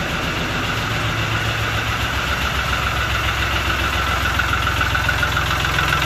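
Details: Lister ST3 three-cylinder air-cooled diesel on an old sewer jetter, bought cheap, first start without using the decompression: steady, even diesel clatter at about 214 beats a minute with no stumbles, a healthy normal idle.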